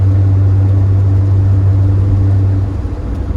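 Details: Driving after a new SKF axle was installed to cure a noise: smooth, even low road rumble with no clicking or knocking as it rolls and eases off; axles sound healthy, noise gone.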